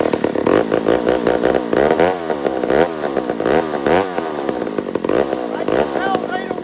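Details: Old McCulloch 1-71 two-stroke chainsaw after repair (carb rebuilt with jets from another carb, leaking fuel line zip-tied, intake double-gasketed at the leak): revs up cleanly and drops back to idle repeatedly, crisp throttle response, no bogging; running normally.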